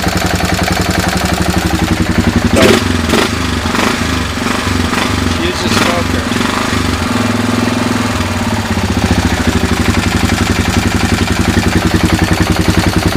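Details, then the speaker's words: 2000 Kawasaki Lakota single that smokes and burns oil (owner suspects rings), just after an oil and filter change, started in neutral: starter cranks briefly, it catches and settles into a steady, even idle with no knocks, ticks or rattles. "I mean it idles nice no bad sounds"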